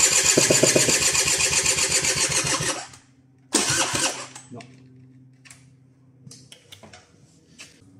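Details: 2013 Mobylette Fox with electric start and separate oil mix that will not start, after a broken wire/plug was found and a different battery fitted: rhythmic cranking at about four beats a second for three seconds, never catches; cause unconfirmed.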